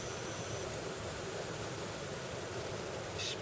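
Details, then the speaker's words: 2012 BMW X5 E70 (106,080 miles) HVAC blower motor, out of the car on the bench, running on low after its chirping bearings were re-lubricated with 30W oil: soft, even airy hum, no chirp or squeal; whisper quiet. "so the blowers running on low right now I don't have it reinstalled yet and it is whisper quiet"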